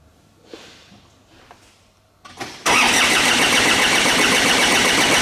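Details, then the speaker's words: 2010 Ford Ranger / Mazda BT-50 3.0 turbo diesel cranks steadily at about four beats a second but never fires; codes include cylinder 1 misfire and a fuel system leak, and low fuel pressure is suspected. "The car doesn't start. I try to crank it. Nothing's happening."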